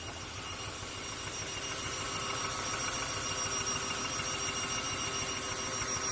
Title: Honda Accord 2002 F23Z5 misfire